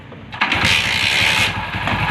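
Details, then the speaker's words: Old motorbike that ran fine then suddenly cut off (carburettor already cleaned elsewhere): catches within a second, even steady beat, no ticking or cutting out, no abnormal sound on pressing start; clean healthy start. "இப்போ வண்டி start ஆகிடுச்சு. Press பண்ணால் கூட அந்த sound எதுவுமே வரல."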